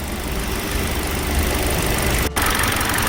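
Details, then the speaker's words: Hyundai LF Sonata with cylinder 4 misfire code and cold-start shake, after ignition plug/coil replacement and throttle body cleaning: even steady idle, no missed beats; scope and scan data normal. "차 상태는 좋고 여러가지 스코프 데이터 스캔 데이터 정상적으로 나오고 있습니다"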